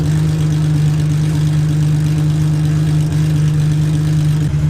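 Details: Idle of a JWT S7 cammed Infiniti G35 Coupe V6 with full bolt-ons on fresh E85, warming up before datalogging fuel trims for the tune. Steady, even low idle with a deep constant exhaust note and no misses or knocks. Running acceptably.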